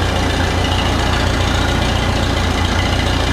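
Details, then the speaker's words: Oliver 66 tractor engine at a loping, uneven rough idle, stumbling at about three beats per second; it runs badly and won't idle with the throttle set low, and the owner plans to clean the carb and plugs, cause unconfirmed. "so you may be wondering why I'm going to clean the carb and put clean the plugs - it's because of the fact that this thing kind of runs bad"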